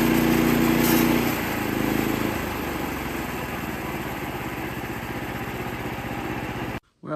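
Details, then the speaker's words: Sawmill engine under steady cutting load, then a harsh clattering hit and the saw bogs and stops hard; blade apparently struck a nail or rock in the log. "if you heard that nasty noise, but it sounds like I hit a nail or a rock or something. It come to a halt. It hit hard."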